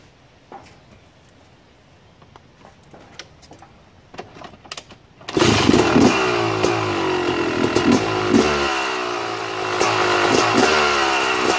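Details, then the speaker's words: 2009 Yamaha YZ250 two-stroke at idle, pilot air screw being closed too far: uneven idle stumbling and sagging as if about to stall; rich low-speed mixture. "all right now did you hear how the bike was trying to die off as i was closing the air screw down"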